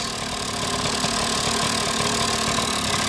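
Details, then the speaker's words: KD80 two-stroke idling unevenly while oil bleeds through, with smoke from the tailpipe: light, irregular chatter and rattle over the exhaust. The rotary valve is audible, and the owner believes he hears the bearings; not confirmed. "I can hear the bearings inside there, so that's not a good sign."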